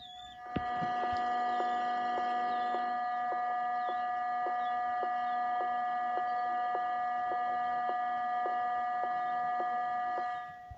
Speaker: ternyata di speaker ada suara noise seperti ini ya suara mendenging ya mendenging